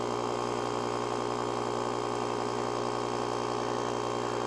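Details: JOMGAND JQP3750 jump starter's built-in tire inflator (150 PSI) pumping a tire, set to shut off at 20 PSI, pressure rising quickly from about 10. Steady buzzing hum, fast even pulse about four per second: normal inflator operation.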